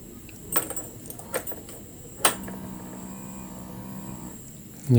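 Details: Honda Beat FI scooter with a total electrical failure and no-start complaint; at key-on a soft click, then a faint, steady low hum for about two seconds as the fuel pump primes normally.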